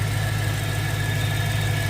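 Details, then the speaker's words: BMW E92 M3 at idle with a faint constant high-pitched whistle above the engine note; source unknown, owner suspects an intake vacuum leak somewhere. "So, yeah. Hopefully you guys can hear that whistling. Not sure what that is. Um, does sound like there's some sort of intake vacuum leak somewhere."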